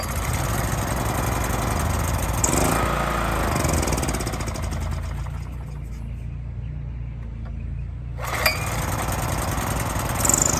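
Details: Honda EX1000 generator after carburetor cleaning fixed a fuel leak, air cover off, test run: small single-cylinder engine runs at a steady rattly pace with a brief lull mid-run, then picks back up evenly; normal running.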